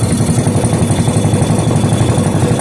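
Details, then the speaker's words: Rebuilt 5hp Briggs and Stratton single, fuel added to cylinder and carburetor, no muffler: loud, steady, fast popping exhaust at even speed with no miss or knock; running cleanly, then shut off by kill wire. "This time I'm going to put a little bit in the carburetor too, and let's go. What do you know? She's running."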